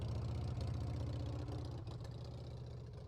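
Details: Harley-Davidson Sportster V-twin right after fixing a no-fuel no-start caused by a carburetor float needle stuck closed, warming up; even, lopey deep idle thump about four a second with no misses; running healthy.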